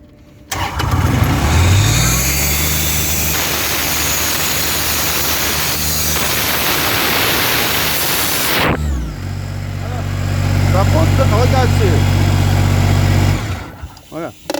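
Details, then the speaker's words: Diesel air compressor after checking diesel fuel line and injection pump: fires promptly, steady low drone, then settles to a lower even speed until shutdown; healthy normal start and run. "Voilà. Là, il est excellent. Je vais ouvrir sans faire accent. Voilà. Et là, je peux démarrer. Pas de problème."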